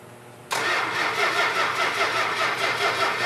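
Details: Dodge Coronet R/T 440 engine on a run stand, fuel pumped up and oil pressure present: starter cranks evenly for three seconds and it never fires; no spark because of a faulty coil.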